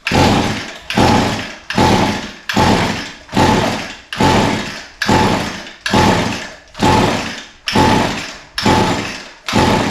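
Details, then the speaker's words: Echo SRM 225 line trimmer with a brand new spark plug fitted and compression feeling adequate: about a dozen dry whirring pulls, one a second, with no firing. It still won't start. "well still nothing uh maybe now we know why the pull starter was broke somebody must have pulled it so much that it broke the spring"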